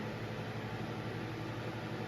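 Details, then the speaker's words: Lasko wind machine fan with a shaded pole motor running on low: steady low drone with humming tones over an airy whoosh, throbbing like a turboprop; bearings said to be good, cause of the sound unclear. "there's a sh pole motor in here that's why I only run on low on low it sounds like a turbo prop"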